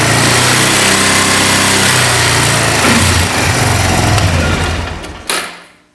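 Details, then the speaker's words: 1999 Kawasaki Prairie 300 ATV single-cylinder, pull-started after fixing the rattling exhaust heat shield: steady, busy idle with no jingling, rattle gone; ignition coil still awaiting replacement, slight noise remains from the belt box. Normal running. "sweet all right so i'm just gonna leave the bike like this until fedex decides to show up with my new coil um i believe it's somewhere up in here so i just have to take the tank off real quick but anyway the rattle is now gone so"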